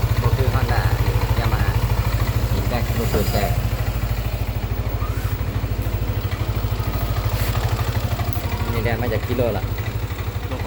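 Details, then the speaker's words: Yamaha N-MAX scooter at about 28,894 km, reassembled after replacing the broken crankshaft bearing, idling. A steady, even low thrum of about 200 pulses a minute with no knock, rattle or grind. There was no white smoke, so not the piston; the repair is confirmed quiet. "ประกอบเสร็จแล้วอ้าสตาร์ทมั้งเร่งเอ้อเงียบแล้วก็เป็นที่คุกปืนแก้มแกนลิ้นยังบ่ถึงลูกสูบ"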